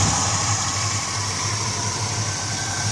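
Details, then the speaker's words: 1968 Mustang GT/CS 390 big block, automatic, long-abandoned, first start with no fixing, only cleaning: smooth, even, quiet low burble at idle with steady firing pulses, no ticking or knocking; healthy, smooth-running. "freaked on at that time and went super quiet for a big block"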